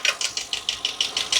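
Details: 2022 Ford F59 with 7.3 gasoline V8, code P0300 random misfire but no check-engine light: sharp, even, light ticking about six or seven times a second at idle; tech doubts rod or valve knock, suspects camshaft, unconfirmed.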